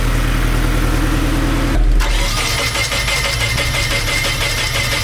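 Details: Nissan 240SX (S13) being diagnosed for first start-up, battery suspected dead: starter turns the engine over at a steady, slightly uneven beat with no firing or pickup; cranks but won't start.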